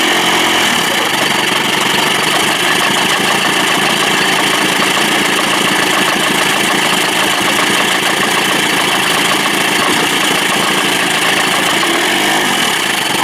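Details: Johnson 25 hp two-stroke outboard, possibly missing its thermostat, after fixing a lean sneeze (suspected clogged slow-speed circuit) without removing the carb and readjusting the throttle linkage: steady, even idle buzz with no sneezing or stumbling; fix worked.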